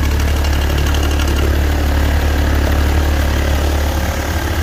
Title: BMW engine knocking noise #bmw #engine #knock knoc